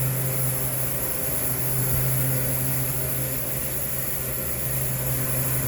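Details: R-22 walk-in cooler at a convenience store, warm box complaint, large refrigerant leak: steady low hum with a constant hiss underneath at the expansion valve, no ice seen; low refrigerant charge, leak later found and repaired.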